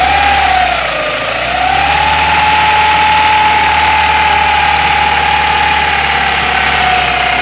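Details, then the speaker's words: 2001 Ford Ikon after an engine job: clear steady whine over the engine note that climbs with revs, engine vibrating slightly; timing chain already replaced without curing it; abnormal whine of unknown cause rising with revs. "noise is rising as I press the rev. And now it's normal, but it's not the normal sound that it makes. As I rev the car, it goes up."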